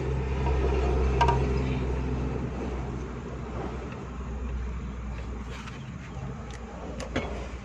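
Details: Suzuki Bolan/Ravi engine after refitting a spark plug and wires to cure a shorting misfire and jerks: low even idle rumble with a steady beat, no skips, running smoothly on all cylinders.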